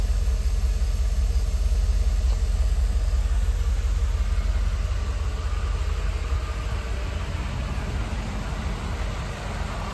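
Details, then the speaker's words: 1988 Mercedes-Benz 560 SL V8, 51,705 miles, shortly after a cold start on a warm evening: deep, even warm-up idle rumble with regular beat, no misses or ticking; normal idle. "So everything looks good. She's already into a smooth idle, considering it is still in the 80s, even though we are getting close to sundown."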